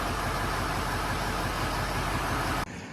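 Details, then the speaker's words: 2006 Ford F-350 6.0L diesel after an engine rebuild: a steady, even idle clatter with no misses or knocks, then a clean shutdown, sounding good. Shortly afterwards a light rev blew the tip off a rocker arm on the number six cylinder. "anyway she's running a big puddle into the truck sounds good"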